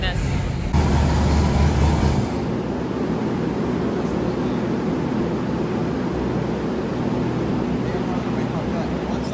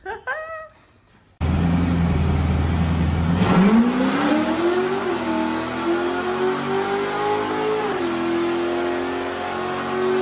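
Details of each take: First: Freshly built Chevy LS3 427 V8 in an Ultra4 car on the dyno, stock ECM: lopes at a low uneven idle with rough rumble, idle air control valve wide open and screaming; insufficient base airflow, fix is adding bypass air. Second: Chevy LS3-based 427 V8 in a rebuilt Ultra4 bomber off-road race car, on the dyno during tuning, with 8-to-1 headers: deep steady idle, then a clean rising rev that holds with no misses or rattles; healthy, strong-sounding engine.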